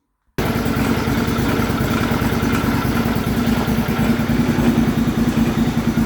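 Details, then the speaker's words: MTD White tractor with a swapped-in engine, run by jumping the starter with no battery or solenoid: after a poor start it gradually improves to a steady run, with a rapid uneven rattle underneath at about three per second. A stuck idler pulley is chattering. "there's definitely a stuck idler under there you can hear it chattering"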